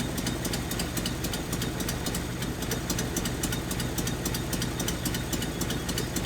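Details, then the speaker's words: 1981 Nissan 280ZX straight-six, unrun for about 15 years, idling lumpy at around four pulses a second with one cylinder dropping out; injectors checked by clicking, one not working. Misfire from dead injector. "let's fire it up again and then test each injector nope yep yep so this injector"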